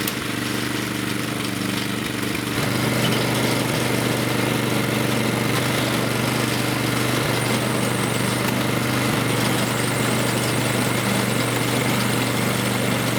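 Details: Snowblower after a makeshift repair of the wheel-drive hex shaft part: the small single-cylinder engine picks up after a couple of seconds and holds a steady, even drone with no knocks or surging; running properly.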